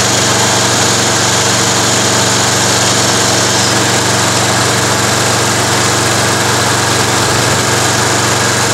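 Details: Toro Recycler lawn mower during an Automatic Drive System conversion: small single-cylinder engine runs at a steady buzzing speed, even beat, no misses; owner notes the primer bulb needs redoing and the recoil starter is a bit noisy; normal running.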